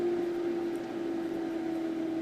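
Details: Leisure Line coal stove power vent fan turned down on its rheostat so the draft flap just moves without closing fully; steady, even hum at one low pitch, no rattle or surging, running normally at reduced speed.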